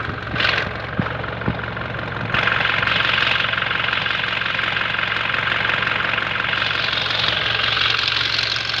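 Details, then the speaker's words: Toyota Hilux 2GD diesel cold first start, when it is noisy: after starting, loud sharp clatter about three knocks a second over the idle; cause unknown. "Ang gagawin natin dito guys ay huwag natin painitin, no, sa pag-observe dahil tuwing unang start lang talaga ito nag-iingay, no?"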